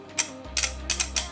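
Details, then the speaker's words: Rainmaster 24V bi-LED 3-inch projector shutter solenoid powered at 24V. It gives several sharp clicks with a brief buzz and snaps fully open, whereas at 12V it sounded weak and opened only partly. Normal solenoid operation; 24V is needed for the high beam. "Kalau pakai tegangan 24 volt untuk nyalakan solenoidnya baru dia kebuka full. Dari suaranya sudah ketahuan ya nih."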